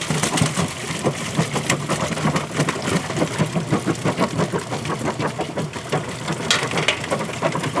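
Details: Kenmore top-load washer agitating with the lid open: busy clatter at about three sloshy strokes a second, no grinding or knocking. Normal agitation.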